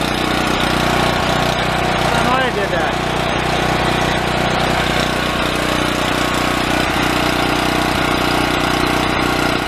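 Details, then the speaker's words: Yamaha EF4600A generator, left sitting outside for years, runs at a steady hum with an uneven, lumpy beat underneath; owner suspects fuel starvation. "that that definitely sounds like a fuel issue got gas in there see if I can work that out"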